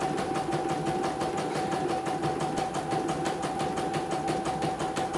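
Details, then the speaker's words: CNY embroidery machine that had fully jammed, after repair, test run: quick even stitching clatter about three beats a second with steady motor hum, no catching or grinding; running smoothly, ready to ship. "Oke. Sudah halus, tidak ada kendala. Jadi siap dikirim ya."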